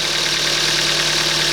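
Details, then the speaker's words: 2007 Kia Ceed 1.6 petrol, 150,000 km, after intake cam phaser replacement and loosening an overtightened belt: steady healthy idle with only a faint valve tick; clearances are within tolerance and the cold-engine noise is gone. "можливо чути трішки клапанці Ну зазори там в допусках"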